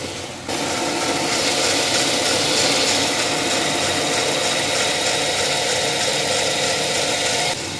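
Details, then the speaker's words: 2006 Dodge Charger with A/C on: harsh steady rasping hiss as the A/C engages, compressor seized and not spinning while its clutch slips, overheating, smoking and smelling of burning electrical or rubber. "that clutch is hotter than you know what Professor is locked up no more AC for a while"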